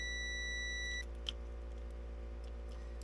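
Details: 1964 IH Travelall with a 1963 International 304 during a Holley Sniper EFI install: multimeter continuity test on the ignition switch, a steady high beep for about a second then cut off; the switch contact closes in that position, contacts need cleaning.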